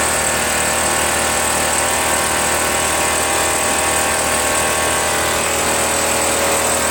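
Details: RedMax EBZ8050 two-stroke backpack leaf blower running after new piston rings installed to fix no compression, following very hard starting. Steady even high-revving drone with bright hiss on top, no misses or surges: normal running.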